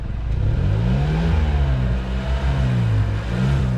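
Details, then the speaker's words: 2012 Hyundai Elantra after exhaust repair (a new flex pipe had gone loud again): revs and settles smoothly with a deep, quiet exhaust note; the owner notes a minor leak remains by the rear muffler. "Sounding pretty good. I know I have a exhaust leak back by the rear muffler. Not too concerned. It's really quiet."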